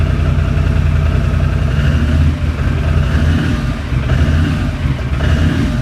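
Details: 2006 Can-Am Outlander Max 500 after installing a new EverStart AGM 12 V 270 CCA battery (old battery was the fault): steady, even single-cylinder thrum with a couple of gentle dips, no knocks or misses; normal idle.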